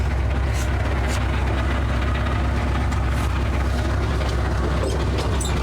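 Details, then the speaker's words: Ford F100 truck idles with a deep rumble, scattered sharp clunks and brief grinding bursts from a failed manual transmission. Only second and third gears work, with no first or reverse, and it is limping back to the shop for a replacement transmission. "TR so we got second gear and third gear no reverse no first you can hear it grinding and banging around in there so we're going to limp that back to the shop and then I got to grab a transmission"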